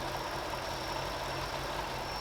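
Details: MK3 Toyota Supra with a swapped 1UZ V8 and a new supercharger, running after a corrected base tune file was loaded: a deep, steady V8 burble with a faint high supercharger whine, even and settled at idle.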